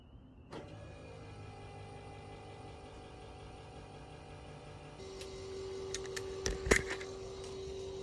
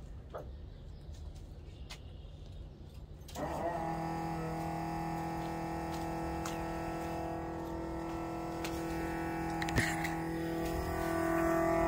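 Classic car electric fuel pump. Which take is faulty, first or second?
second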